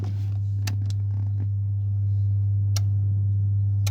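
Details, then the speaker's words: About 8-year-old Rimini spa with a 2-speed jet pump, newly replaced motor, fuses tested fine: pressing the jets button gives a few sharp uneven clicks over a steady electrical hum while the pump never starts; relay clicking, cause unknown. "and it's just clicking so basically the motor is starting itself up when it feels like it and then it shuts itself off"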